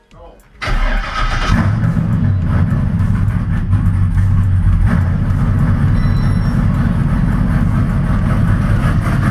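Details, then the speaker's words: H8RDCPTR after an accident, with a new fuel pump and a newly hooked-up fuel system: short crank, the engine catches at once and settles into a steady, even idle with no misses or knocks; it runs fine, though a small fuel leak was found afterwards. "sounds like she still runs okay"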